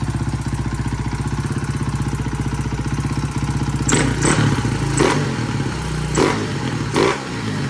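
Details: 2009 KTM 450 EXC single-cylinder after carburetor cleaning (muck in float bowl, cracked bowl nut): even, steady idle thump, no misses or stumbles, then handling knocks; accelerator pump may need adjusting; runs clean.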